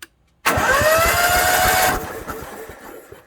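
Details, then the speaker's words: Onan 5500/7000 Marquis Gold RV generator with spark plugs removed, after carburetor cleaning and repairs: fast, even cranking pulses about 1.5 seconds, no binding or grinding; previously it would not turn, now turns over freely. "Alright, everything's cranking over good, so now we'll put the spark plugs in and maybe see if it won't start."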